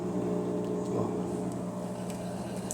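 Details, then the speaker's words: Electrolux LT11F washing machine while draining: steady low hum with a rough, hoarse buzz; the noise comes from the worn drain pump. "gente o barulho Tá aí ó bomba rou Esse é o barulho da bomba"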